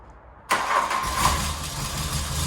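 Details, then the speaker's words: Barn-find Mk1 VW Golf GTI starting after the fuel tank filler neck was fitted and fuel primed, not yet serviced. It catches instantly and settles into an even, steady idle, sounding much better than before. "oh sound bit that's it that sounds a lot better guys"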